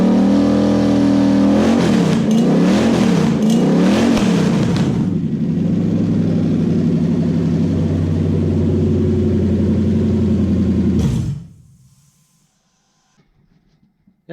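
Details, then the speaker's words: Early non-VVTi Toyota 1UZ V8 on Link ECU with coil-on-plug conversion and standard throttle body; a few sharp revs then smooth, even V8 idle sitting slightly high, adjustable down, then clean shutoff; runs healthy. "pretty good to me sea otter speed might be a bit high but that can be adjusted down quite easily now"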